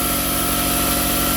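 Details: Quincy 5 hp air compressor on its first run after a garage install on vibration pads, heard from a little over 10 feet away; steady, even pumping thump over a smooth motor drone, no knocks or rattles, running normally.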